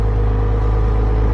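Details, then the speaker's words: 1999 Porsche Boxster that sat for years, running perfectly fine after being left for about five minutes; steady, even low idle rumble with no ticking or knocking; normal idle. "you leave for five minutes and boom runs perfectly fine"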